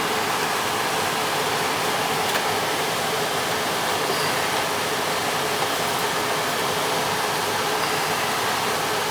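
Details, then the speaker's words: Attic gas furnace blower kicking on after ignition: steady even air rush, no rattle, squeal or scrape, so normal blower operation. The filter looked fine and the thermostat was confirmed bad and to be replaced. "make sure the fan kicks on and everything goes"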